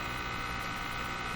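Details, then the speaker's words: Moffat Crosley G2465 five-tube radio, first capacitor replaced: constant low buzzy hum under hiss through the speaker, plus a rattly motorboating sound; weak power-supply filter capacitors suspected, not confirmed. "turn it on here we go so there's quite a clear hum in this radio"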